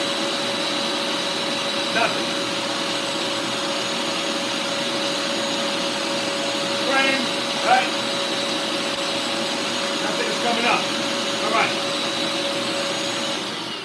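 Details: Bissell Lift-Off shampooer: steady, even motor whine, no surging, grinding or rattling; no suction at the upper tool is normal because the diverter sends suction to the bottom.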